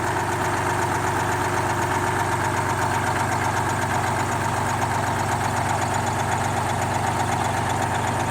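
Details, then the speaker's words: GMC New Look "Fishbowl" transit bus with a GMC V6, running after a few hours of prep, first start in about a year to a year and a half: an even, steady diesel idle with a smooth low chug about four beats a second and no knocks or misses. "it's been working for a few hours to get this bus ready to be moved just so that they can move it to a part of the museum where it's a little bit less prone to vandalism than where it is and you can hear it chortling away in the background"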